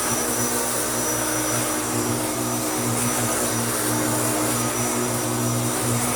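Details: Hoover Turbopower U2724 upright vacuum after restoration, new belt fitted, running on a heavy wall rug with sand: steady, even high motor whine with smooth airflow rush, no rattles or pitch dips; normal running, healthy motor.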